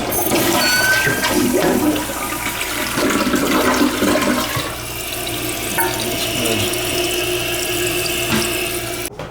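Strong, steady rush of water that drains cleanly and then settles into refill, a good full flush with nothing odd.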